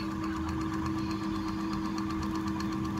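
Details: Crompton ceiling fan after coil rewinding, varnishing and bearing repacking, tested on series line with 200 W bulb: steady even low hum, faint electrical buzz, no ticking, scraping or wobble; normal running.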